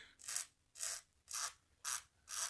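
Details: Corsair K95 RGB Platinum volume wheel scrolling down: even ratcheting bursts about two a second with clean detents and no odd clicks; normal (the fault click occurs only scrolling up).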